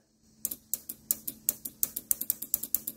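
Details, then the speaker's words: 1985 Mercedes 300CD defrost vacuum solenoid bench-tested with power applied: crisp, evenly spaced clicks, five or six a second, as it switches the servo and opens the vacuum port; working unit, unlike the dead one in the car. "that is clicking the servo and opening"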